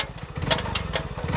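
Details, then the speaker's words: New 2023 Hero Splendor Plus BS6, in second gear revving: quick light metallic ticking over the exhaust note, rising with engine speed; loud noise, owner unsure where, possibly the chain. "लेकिन इससे काफी शोर much रहा है।"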